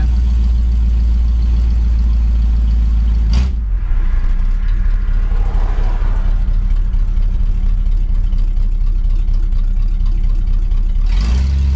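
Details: 1965 Pontiac Catalina V8 after cleaning its Rochester 2-barrel carburetor: a deep, even rumble with a brief throttle blip, settling back to a steady idle with no stumble; it runs a lot smoother.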